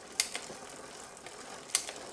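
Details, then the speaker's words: Bicycle rear derailleur after adjusting the high limit screw for a bigger gap from the highest cog; two crisp single clicks as the chain steps across cogs over soft even freewheel ticking; clean, smooth shifting. "you see now it's it's just got a bit bigger gap and that should a shifting make sure it's still running smoothly"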